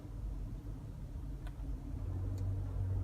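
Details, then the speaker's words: GMC Envoy driving at about 40 mph while turning left: low, rough growl beneath the road noise, quiet on right turns; a bad front wheel hub bearing that does not rock or shake excessively. "I think you guys can hear it right it sounds like a little growling noise this is an indication every time you turn the wheel the opposite way and the vehicle a lot of weight goes on one side it indicates the bad wh"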